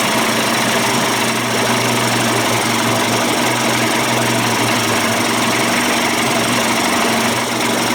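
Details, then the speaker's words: Johnson Evinrude 25–35 hp two-stroke outboard conversion at fast idle after bypass cover swap and low-speed cam adjustment: crisp, steady buzz, no misfire or knock; sounds better than before, normal running. "push book sounds sweet sounds better than it did before I changed the uh the bypass cover and adjusted the cam"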